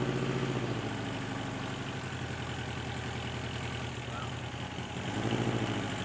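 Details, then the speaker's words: Subaru Brat with a freshly installed engine after valve adjustment, on its first drive: steady idle with a light, even tick about three to four times a second from one lifter that is still noisy. "oh still got a noisy lifter yeah i can fix it"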